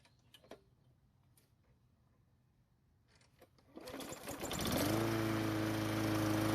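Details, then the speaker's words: Murray lawn mower after carb replacement, air filter reinstalled, old spark plug: pulls over, catches and settles into a steady, even drone; runs normally, owner suspects dirty filter and old plug make it slightly off. "well it starts and runs but the dirty air filter and the old spark plug might be causing it to run just a little bit off"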